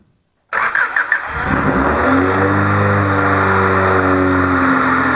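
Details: Honda Civic D16Z6 with high, surging idle (not the IACV): brief cranking, then the engine catches and settles into a fast, slightly wavering idle from extra air; throttle screw adjustment made no difference.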